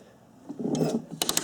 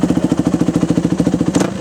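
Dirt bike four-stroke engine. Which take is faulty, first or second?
first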